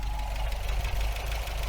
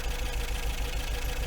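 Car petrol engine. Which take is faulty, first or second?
second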